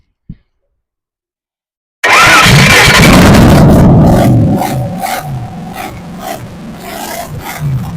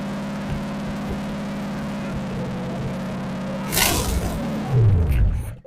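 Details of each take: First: Holden 308 V8 test-run before fitting to a vehicle catches and roars up, then revs sag and stumble and it dies within seven seconds; the fuel pump quit and starved it. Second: Salvage-yard Holden 308 V8 rebuilt with donor parts, first run, after fuel pump trouble: low steady burble at idle with even hum, no ticks or knocks, handling noise near end; normal idle.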